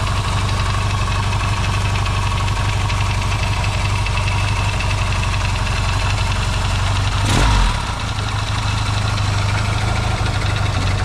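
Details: Yamaha XS650 twin, engine just reinstalled in frame and restarted after fixing its burning-oil problem, started with a little choke: even, quick idle with one short throttle blip settling cleanly; no longer puffs smoke on throttle, runs quieter and better.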